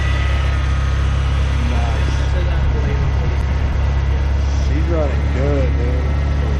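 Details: Steady, even low rumble with no misses, knocks or surges from an '87 Ford Ranger, running on old gas, just reassembled and refilled with water; smooth, healthy running.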